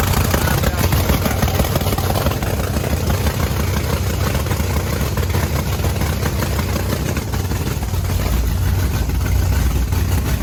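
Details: Blower V8 Camaro on methanol, just fired up after cleaning gunked fuel nozzles: loud, heavy, lumpy rumble holds steady without stumbling or bogging; not drowning (flooding), running clean.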